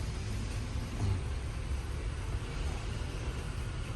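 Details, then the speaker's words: Nissan Almera with check-engine light and flashing auto light, engine shaking: deep, uneven idle rumble with irregular thumps; scanner showed a misfire, and the cylinder 2 ignition coil was found faulty. "โอเคนะครับเสร็จเรียบร้อยนะครับสรุปคันนี้คอยจุดระเบิดสูบ2เสียนะครับ"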